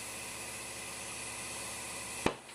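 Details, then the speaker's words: Tire on a center post tire changer during bead seating with the air tool: sharp pop over steady air hiss as the second bead snaps onto the rim, both beads now seated. "In fact, I would take my hands off at this point, and you want to listen for 2 popping sounds."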